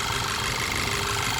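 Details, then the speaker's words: Skoda Superb petrol with P0303 cylinder 3 misfire and ignition coil codes: shaking worse with AC on; with AC switched off the idle becomes completely smooth and even; cause found as a burnt spark plug and damaged piston. "AC चलने के ऊपर तो और ज्यादा धड़कन हो जाती है और एसी बंद कर दोगे तो बिल्कुल महसूस नहीं होता मर ऐसी हम बंद करेंगे अब देखते हैं ये देख सकते हो आप बिल्कुल स्मूथ हो गया"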